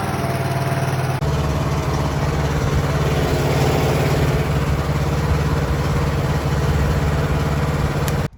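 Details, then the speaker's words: Small tractor mower, suspected dead battery, jump-started after refuel and choked: quick catch, then steady, even low chug that holds without stumbling or dying; mower starts and runs normally. "Let's see if it'll fire it up. Oh. Fired up, bud. Oh, crap. Choking it, that's why."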